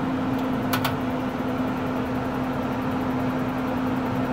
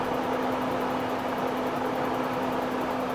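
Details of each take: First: RV propane furnace installed in a cargo trailer, powered by a Yeti 1250 solar generator, thermostat at about 70°: igniter clicks, then a smooth, even blower hum; sounds better than last time, when low power left the fan not blowing properly. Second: RV propane furnace in a cargo trailer, run from a Yeti 1250 solar generator: steady blower rush with even hum, no burner whoosh; fan runs but burner never lights, faulty propane tank valve suspected. Furnace blower runs but burner does not ignite.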